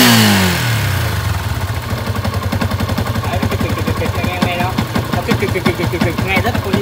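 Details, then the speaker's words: Yamaha Exciter 150 at startup and idle, before repair: loose, uneven clacking rattle over the engine beat from the clutch housing (dọng nồi); fix is redoing the clutch. "Rồi mình sẽ nổ cái máy lên xem anh em nghe tiếng nó rất là khó chịu, bức xúc luôn."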